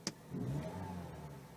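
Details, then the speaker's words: Mazda 6 2.0 petrol with rough running and stalling, just after cleaning the MAF sensor: catches quickly, flares up, then revs ease down slowly into a smooth, even run, no knocks or misses; normal running after start. "Yeah, starts okay. Seems to be taking a long while to settle back down, but"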